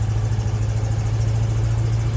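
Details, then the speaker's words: 1974 GMC Suburban: a steady low rumble held at a fast, elevated idle; the owner suspects ignition timing and plans to adjust the distributor: high idle. "really gotta do some adjustment to the idle it's got high idle going on i think i gotta adjust the timing"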